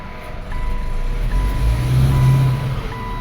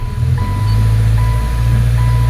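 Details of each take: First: 2013 Subaru Impreza, FB16 naturally aspirated engine, hot, idling in reverse: the idle stumbles and lurches irregularly under a steady chime. An ignition coil is misfiring and another coil does the same; the owner's complaint is stumbling on load. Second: 2013 Subaru Impreza GJ, naturally aspirated FB16, which stumbled under load, after replacing the original coils at 17,983: a steady brake-torque drone in drive with no stumble and an intermittent beep, check engine light on, running clean.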